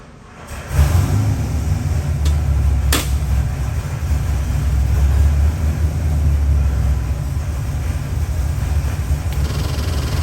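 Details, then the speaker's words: Ford 7.3L Godzilla V8 crate engine (625HP package, made about 630 hp) on a dyno, BTR intake, Holley pulley system and pan with internal pump, custom grind cam, for a '51 Ford F100; deep, even V8 rumble holding a strong smooth beat, no knocks or misses, normal running. "Good morning, John. I got your 51 Ford F100 engine on a dyno. Happens to be one of our 7.3 Godzilla engines. Gonna fire it up, give you a run demo."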